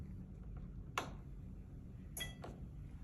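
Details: Maytag dryer model MEDE500VW1 on normal cycle, start pressed: a lone sharp click, then faint ticks and silence, with no motor hum or drum rumble. Owner suspects drum belt, thermostat or thermal fuse; not confirmed.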